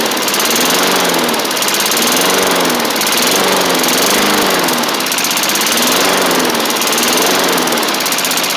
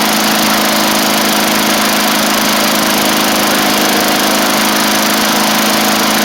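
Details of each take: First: 1990s MTD Yard Machines push mower, old-style Tecumseh primer engine, first running on its own after revival; speed surges and sags every couple of seconds, throttle still to sort out, uneven running. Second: 1990s MTD Yard Machines push mower with an old primer-style Tecumseh engine, after the throttle screw was moved in. Loud, steady high-speed drone with no surging or sputter: running normally.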